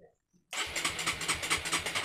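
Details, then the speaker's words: Honda CB150R with capacitive touch-sensor anti-theft immobilizer installed: steady starter whirr with even compression pulses, never catching, because the sensor hasn't been touched; immobilizer blocking start as intended. "Oke, benar saja motor tidak hidup, dan sekarang kita akan menyentuh dimana tadi diletakkan sensor sidik jarinya tadi ya, bukan sidik jari tapi sensor sentuhnya ya."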